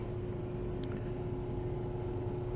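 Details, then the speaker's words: Newly installed replacement fume hood blower, a couple of days old, running; low steady hum with a soft even tone, no rattles, scraping or wobble, much quieter than the old fume hood. "This is a replacement that I got in about a couple days ago, and it's much quieter."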